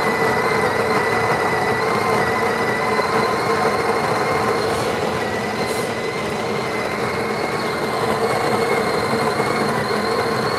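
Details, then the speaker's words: Breville Barista Express built-in grinder purging a handful of beans: steady gritty grinding with a thin, high, constant whine on top; abnormal high-pitched whine, cause unknown, owner plans to inspect later. "did you hear that that wing whining sound that's right again i i don't know the high pitch noise that is that's something i have to take a look at it later"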